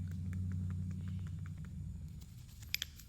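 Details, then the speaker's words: Toyota suspension knocking over bumps: worn ball joint, probably from a lower control arm, loose ball rocked by hand, giving quick light metallic clicks about four a second over a low hum. "so the knocking metal knocking is caused by worn this part and that ball is loose there and it creates That Knocking"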